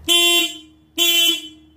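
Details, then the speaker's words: Triumph Trophy SE stock horn, a small horn on a bracket on the right side behind the front wheel, sounded in the garage: two short honks, each a steady mid-pitched tone; works but sounds thin and anemic. "this is the stock horn on the triumph trophy it's a pretty small and really anemic sounding fits on a bracket here on the right side just behind the front wheel so this is what the stock horn sounds like"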